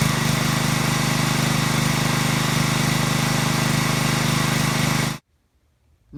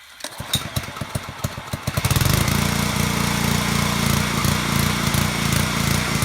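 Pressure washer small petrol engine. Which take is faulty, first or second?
second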